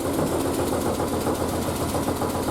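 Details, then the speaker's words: Triumph Spitfire after single-carb conversion, about a minute and a half after starting, already off choke and still steaming from the exhaust wrap: smooth, even idle with faint tapping from the bonnet flapping, not the engine; sounds healthy. "Appears to be running okay. Obviously she's still steaming. You can hear a slight knock noise. It's my bonnet flapping around, not the car."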